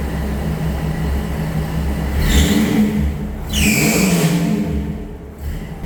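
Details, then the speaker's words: 1962 Ford Falcon 200ci six with a T5 swap and Holley Sniper, first start after 8 months; catches and settles into a steady, even idle with clean throttle blips and no knocks or misses. "So, it's been 8 months and it started up pretty good. Um, did not think it was going to take this long, but sounds good."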